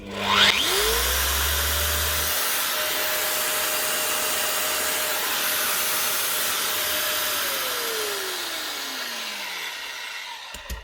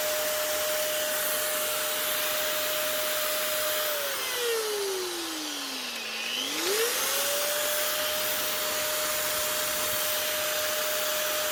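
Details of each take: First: Metabo MFE40 twin-blade wall chaser after tightening up loose play, test run: motor spins up to a clean steady whine with no rumble or grinding, then coasts down smoothly. Normal running. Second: Metabo MFE40 twin-blade wall chaser, second of two units, fault heard on first run: steady high motor whine that sags under load then recovers, with a rough gritty edge. Worn bearings; new bearings needed.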